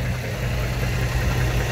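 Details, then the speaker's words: 2005 Dodge Ram 1500, 5.7 Hemi V8 at idle: heavy low idle with a rough, uneven thumping knock underneath. Owner doubts the flexplate and suspects the lower end, crank or main bearings. Unconfirmed. "I don't think it's the Flexplate. It sounds like the engine."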